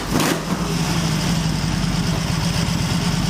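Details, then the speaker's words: Excelsior Henderson Super X being tuned with SuperXtune for stalling when coming to a stop: an uneven, loping idle with irregular low pulses after the throttle closes, sagging and hunting down to about 500–700 rpm. Lumpy idle. "listen carefully if you can I I I can't promise sure this is going to sound good it was a little lumpy but not"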